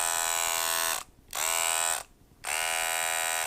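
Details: Wahl Detailer hair trimmer running loud and harsh and not cutting, heard in three short on-off bursts; the cause is a broken spring retainer letting the spring rattle.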